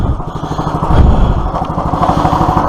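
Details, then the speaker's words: Clarke PW50 water pump small single-cylinder petrol engine, carburetor refitted, run without choke after crankcase was full of petrol: even, steady beat with light frame rattle on concrete; main bearings feared shot but it sounds sweet. "I was very worried that with the amount of petrol that was in the crank case um the bearings would be shot the main bearings but that engine sounded sweet"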